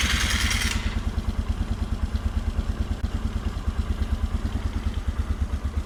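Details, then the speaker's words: 1997 Polaris Sportsman 500 ATV, single cylinder, choke off: smooth even idle thump about three beats a second; touching the throttle makes it stall (stall not heard here), though it idles fine and restarts. "the exhaust like I said this thing sounds fantastic at idle but uh check out what happens when you try to even touch the throttle"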